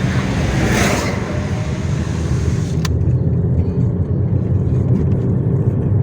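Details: 2006 Nissan Almera Classic SE, manual gearbox, driving: steady low drone under road noise that appeared suddenly overnight from the front wheels; worn front left wheel bearing humming.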